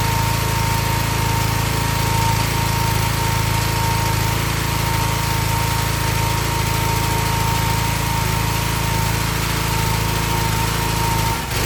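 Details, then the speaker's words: Excell XR2500 pressure washer (DeVilBiss) with 5 hp Honda engine runs fine about 10–15 seconds, then hesitates, stumbles and cuts out, nearly stalling or catching itself again; cause was a bad NGK spark plug, not the carburetor. "It runs perfect for a little bit and it starts hesitating and cutting out, but uh it either stall or just sometimes it catches itself and runs again."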